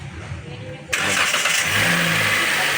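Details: Toyota Rush petrol engine started with the drive belt removed to isolate a noise: smooth, even idle with no squeal, chirp or grinding. The noise went away this way, and the water pump is suspected and will be replaced.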